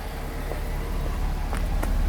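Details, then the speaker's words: Daimler XJ40 after service work, heard at the rear at idle: steady low exhaust murmur, very quiet, no skips or misfire; running smoothly, earlier check engine light may have been nothing. "very hard to hear probably because these are very, very quiet cars, but there's definitely not a hint of a misfire or anything. It's running incredibly smoothly."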